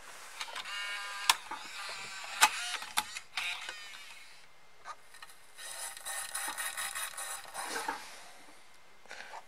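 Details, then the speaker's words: Bose Wave Music System II 3-disc changer, just realigned after not playing CDs: clicks and whirring with a light scraping rustle, as if brushing on something inside; afterwards discs played normally. "Sounds like it's brushing on something there."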